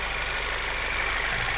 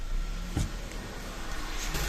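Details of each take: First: 2008 VW Passat B6 1.8 TSI after injector cleaning and seal kit replacement: smooth, even idle, no shake or stumble, no fault codes; normal idle. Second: 2008 VW Passat B6 1.8 TSI, hard start then shaking, misfiring idle with uneven stumbles; scanner shows misfires on cylinders 1, 3, 4; high fuel use; caused by clogged injectors and leaking injector seals.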